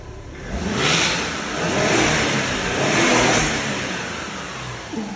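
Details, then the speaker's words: Audi after dropping subframe and swapping fuel tank: revs up and settles twice with smooth muted exhaust, no puffing or ticking, very quiet now; normal exhaust note. "It's so quiet now."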